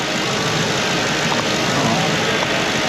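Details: 1952 Dodge pickup off the road 30 years, idling in teens-temperature cold after starter, transmission and wiring repairs; steady even idle, smooth low rumble, no knocks, misses or squeals; power steering overfilled but no longer leaking.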